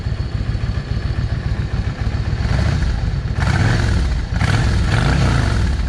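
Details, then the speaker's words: Yamaha 650 V Star, still cold, after the front carburetor's 22.5 jet was replaced with a 25. Pulls cleanly through throttle blips with no hesitation, stumble or popping. Carburetion sounds right. "Y'all hear the difference in that? No hesitation. And that was going from a 22 and a half airfield jet to a 25."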